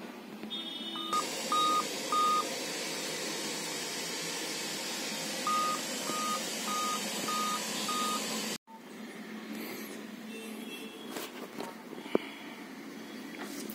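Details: Dell Inspiron N5010 laptop at power-on: five short, even beeps about half a second apart; Dell code for a failed CMOS battery.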